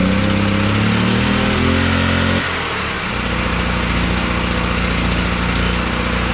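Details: Generator started on propane during a pre-hurricane check; after a brief tonal stretch the engine catches and settles into a steady, even drone with no misses: normal running.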